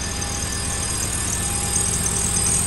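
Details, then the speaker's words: 2006 Lexus GX470, 146,000 miles, rusted out with a bad transmission, otherwise runs really nice: steady idle with a thin, constant high squeak riding on top, likely one of the drive belts slipping. "it's just sitting there it's got a little squeak on one of the belts sounds like it"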